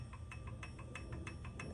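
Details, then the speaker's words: Toyota 3TC engine with gear drive being installed, turned by hand during lash adjustment: crisp metallic ticks at roughly six a second. Too much timing gear backlash, with the gear moved about six and a half units too far. "that's my new zero because I moved it one two three four five six and a half too much you can hear it too"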